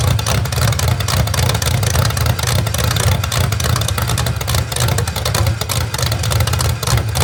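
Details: Rebuilt genuine 1970 Corvette LT1 V8, being built for a 1957 Chevrolet Nomad; deep strong rumble that swells cleanly with repeated throttle blips and drops back evenly. Normal running and revving.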